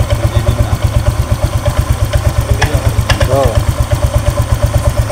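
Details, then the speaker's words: Honda Vario 125 scooter at first start, then idle: thin chirpy squeak pulsing with the engine beat from the CVT. The bike suffered a botched CVT job, with a forced, wrongly fitted ring on the crankshaft gear. "saat e pertama kali dinyalakan di sini muncul suara Crit dan setelah nyala tuh pak saat stasioner langsam Dengarkan"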